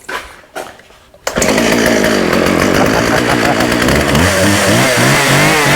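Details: Husqvarna 36 chainsaw with 14in bar, running without choke after carb clean-out and fuel line replacement: sputtering false starts, then pitch surges and sags as it cuts in and out. Coil or electrical fault suspected; off switch also not working.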